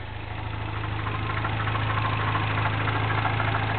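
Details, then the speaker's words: 2008 Mini Cooper Clubman S, 1.6 turbo, 6-speed, MagnaFlow stainless cat-back exhaust, still under warranty: cold-start idle with an even, light knocking rattle at about three beats a second; owner thinks it may be valvetrain noise. "do you hear that little almost sounds like a knocking noise yeah it doesn't sound good"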